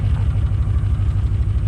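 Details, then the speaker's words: 7.0 L (427 cu in) LSX engine build idling: deep, even V8 burble with a steady low pulse and no knocks or ticks; runs much better than when first installed. Some smoking, owner suspects valve cover gasket oil leak. "It runs a lot better now than when I first put the engine in."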